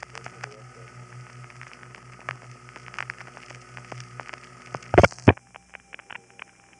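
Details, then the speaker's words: A night call in 1975-77 from the Riverside 9/850 No. 1 crossbar office on West 108th Street, Manhattan, through Suburban Tandem: faint, even, low pulses through hiss, then clicks, as the tandem pulses normally into the Gedney 6 panel office. "It goes through Suburban Tandem and it was made at night. So, this is an unusually clear tape of Suburban Tandem pulsing to the GDNY 6 panel."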